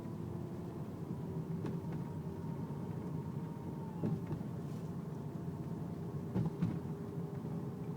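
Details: Faint steady whine during low-speed driving, loud when turning left or right below 10 mph and quieter at higher speed; power steering fluid full, no leaks or foam, belt normal; a mechanic blamed the rack and pinion, cause unconfirmed.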